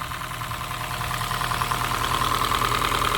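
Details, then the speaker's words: Honda Fit GP5 hybrid in for valve adjustment, engine warmed up (was even worse cold): quick even ticking about three per second over steady idle, audible even at the cylinder; excessive valve clearance, valves to be adjusted. "не тут явно братан клапана Я даже с цилиндра слышу есть такое ну Да шумно Ага шумно"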